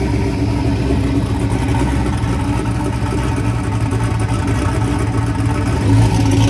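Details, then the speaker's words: Turbocharged Chevy S10 idling after fire-up, with the idle screw readjusted after it had likely thrown off the IAC and idle: a steady, even V8 idle with a low rumble and no knocks or misses; running smoothly. "think I adjusted the idle screw there last time and kind of threw the the iak and the idle way off so it kind of started weird but after I adjusted that back it seemed to be all right"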